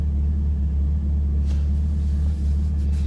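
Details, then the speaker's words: Chevrolet Camaro with AEM cold air intake idling after repair of a crank-no-start caused by the MAF harness rubbing on the power steering pulley and shorting a fuse. Steady, even low rumble, no stumbles or cut-outs; normal idle. "It didn't cut out again, so that's a good sign."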